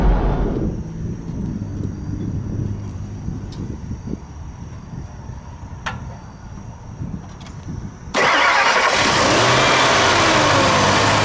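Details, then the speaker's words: 2000 Ford Expedition 4.6 V8 after a timing chain rattle repair: starts and settles into a steady, smooth, even idle with no rattle or noises, a normal start and idle. "it now that's what a engine should sound like listen how smooth that sounds No noises"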